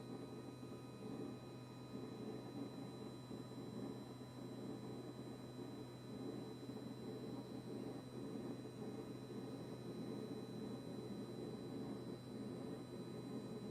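Steady low hum with a fixed buzzing tone that never cycles off, fridge compressor buzzing continuously; cause not yet found. Cause suspected, not confirmed.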